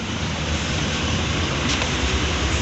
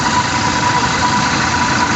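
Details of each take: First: Toyota Fortuner VRZ at idle with AC on and compressor engaged: the growling (ngorok), previously audible even in the cabin, is gone; smooth, even running, problem resolved. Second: Toyota New Fortuner VRZ at idle, compressor at lower left front, noise persists with AC switched off: steady rough growl, no pitch change; AC compressor pulley clutch plate worn and dragging, to be removed and confirmed.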